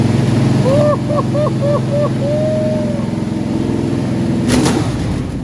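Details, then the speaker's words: Old four-barrel-carbureted V8, long stored: catches and settles into fairly even low rumbling idle with a few brief early chirps; sounds good, running strong. "Actually sounds good. No, it's running strong."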